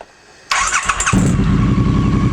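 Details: Triumph 900/1200cc water-cooled single-OHC twin (2016 on), first start after fitting a new camshaft, battery reconnected and fuel primed: brief starter whirr, fires within about half a second and settles into an even, steady idle; clean healthy start.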